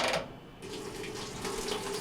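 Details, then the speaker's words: GE WJSE4150BZWW top-load washer with a hot water no-fill complaint: on the cold setting there is a steady hiss of water filling the tub normally, with no chatter or hammering. Hot gives no water although the inlet valve is heard energizing; the inlet valve is suspected. "we have cold coming go back to hot again no water"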